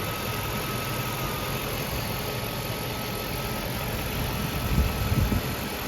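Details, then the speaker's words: 1994 Mercedes W140 S430 V8 idling smoothly and steadily with no surging, faint hiss above, after tightening the loose hose-clamped rubber gasket at the bottom of the airflow sensor, which had caused high, surging idle and fluctuating power. "it was uh high idle surging idle fluctuating power when you drive it now it's perfect"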